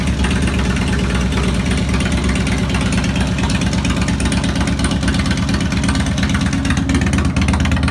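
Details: 2002 Harley Road King Classic on a bike table, second start after replacing cam chain tensioners, lifters, O-rings, gaskets, checking leaks: deep, even loping V-twin idle, no ticking or knocking from top end; sounds healthy.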